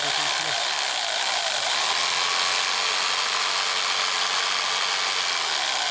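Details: Jigsaw after no-power repair and armature realignment, guide not yet fitted: steady high-pitched whir with no rubbing, scraping or stutter, earlier scraping noise gone; normal running.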